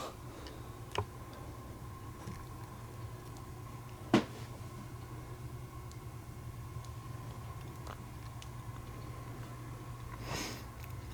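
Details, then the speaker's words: Rare 1950s Fisher-Pierce meter-base photocell, relay switching when a hand covers the sensor; occasional sharp single clicks a few seconds apart over a low steady hum, normal relay clicking that newer photocell sockets lack. "I love the sounds it makes, so the clicking is super cool. I don't really care for the new photocell sockets that don't really have a click to them. I really like that click."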